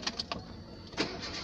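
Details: 2008 Renault Kangoo after fixing a no-start caused by a poor ground connection (false contact between body and engine), corrected with an added ground cable: a few quick cranking pulses, then it fires within about a second and runs evenly, starting normally now.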